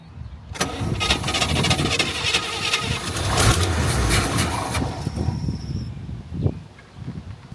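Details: Mildly built 350 V8 project jump-started with a GooLoo GT Truck Pro jump pack in boost mode: brief rapid cranking chatter, then the engine catches and settles into a loud, steady rumble; a clean, healthy start.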